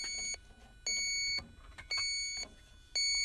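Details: Electronic leak detector beeps steadily about once a second, half-second each, flagging a refrigerant leak on a 1989–1990 American Standard heat pump; system undercharged, condenser clogged and rusted, liquid line running very hot.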